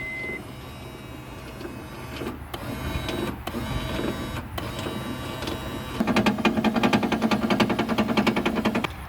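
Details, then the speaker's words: 1997–2001 5th-gen Honda Prelude (BB6) power window: the motor whirs with a busy, rattly ticking at about 1.5 beats a second but the glass doesn't move. The window regulator is suspected faulty and is being replaced. "can hear it but I can't see nothing it seems to be working but something's just not right with it"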